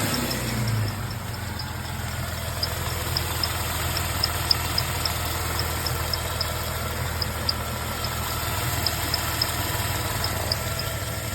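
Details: 2004 Jeep Grand Cherokee WJ 4.0 at steady idle: thin high-pitched whine over the engine note, described as an occasional squeaking; origin not yet pinned down.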